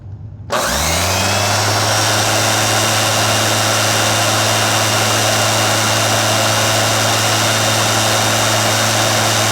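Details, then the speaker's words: Royal Power Nozzle, warmed up for a few minutes: sharp spin-up into a steady, high, even brush roll whine, no wobble or rattle; peak about 6600 rpm, faster than average, normal running. "So, I think I saw a peak around 6600. So, that's pretty fast. That's definitely faster than average."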